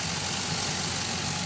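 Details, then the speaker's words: 2005 Chevy Envoy, about 178,000–179,000 miles, idling after the serpentine belt and pulleys were replaced over an earlier pulley noise: smooth, even idle with a light steady hiss, no squeal, chirp or rattle; sounds a lot better. "it does sound a lot better I wouldn't have replaced all that stuff but you know I had the parts and he he went ahead and did it and it sounds good"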